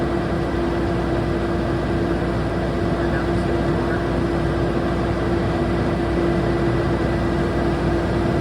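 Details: Generac Marathon / Magnum 45 kVA generator with a new control panel and ESSIE 350 AVR, selector on 480 V and output adjusted from 486 to about 480 V: constant drone with a steady hum, no surging or knocking, holding speed and running healthy.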